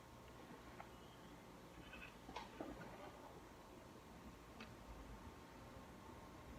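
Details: Loud, faint-to-irregular high squeaks over a quiet hum as the head swings on a 16-inch Union stand fan bought March 2019; an oscillation squeak of unknown cause, unlike the buzzing and rattling of the owner's other fans.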